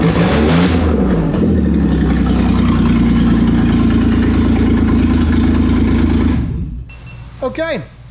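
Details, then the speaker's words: Toyota 4Runner 3VZ-E V6, first start after repairing no compression on two cylinders, exhaust not yet connected and vacuum lines unhooked: loud raw open-pipe rumble running on all six or at least five cylinders, then dies. "I'll say it runs and it runs on all six or at least five of them but I can tell um I know there's still a lot of stuff that's not hooked up on the engine vacuum wise and all that stuff uh I think the next thing I'll probably do is go ahead and hook the exhaust up so I can quieten it down and listen to it"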